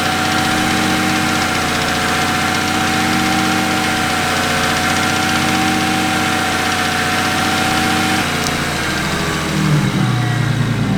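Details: BMW 135i with N54 turbo petrol engine tuned to about 800 hp, idling with a steady whine over its hum, heard before an oil change; rough idle and misfires with deviating bank 1 and bank 2 fuel trims, traced to a faulty fuel vent solenoid valve.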